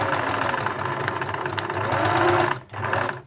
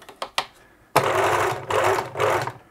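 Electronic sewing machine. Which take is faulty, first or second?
first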